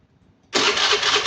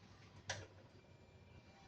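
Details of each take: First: Fuel-injected motorcycle with a simulated fuel pump failure: starter kicks in sharply and whirs steadily at even pitch but the engine never catches because the pump delivers no fuel to the injector; crank no start. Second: Fuel-injected scooter after the fuel pump plug, pulled to simulate a stall, is reconnected: quiet, then fires at once into a steady even idle with no misses; starts and idles normally.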